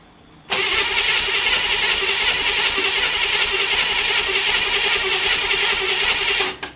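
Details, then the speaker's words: 1955 Chevrolet 265 V8 first start in years, on choke: catches and runs loud and ragged about six seconds, then cuts out; fuel starvation suspected, idle circuit possibly not working. "sounds good. >> Yeah, better than it did before. Just not getting any gas."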